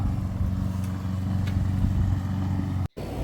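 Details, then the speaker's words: Gree-built Atmos 4.4 15k BTU RV air conditioner/heat pump running with cover back on after SoftStartRV install, which cuts compressor start draw below 25 amps; steady, even low hum, no rattles or rubbing, brief break in sound; quiet, normal running. "can hear how quiet the Atmos runs now that we have the cover back on."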